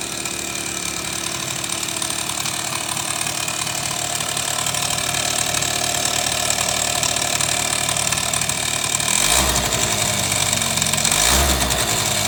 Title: スズキ セピアZZ エンジン異音〜